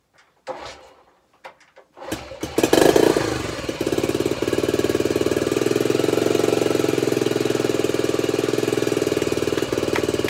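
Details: Honda CT90 (Trail 90) with a stock engine, after a full restoration and new wiring harness, kicked on barely any fuel after it seemed flooded: a few sputtering kicks, then a steady, even single-cylinder idle; runs healthy.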